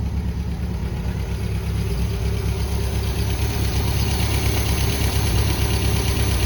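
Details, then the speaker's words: 1973 MGB idling after sitting 20 years, carbs balanced and smoke cleared before its first test drive: low, even burble with a steady beat, no knocks or misses, running really smooth; normal idle. "yeah it seems to be running really smooth"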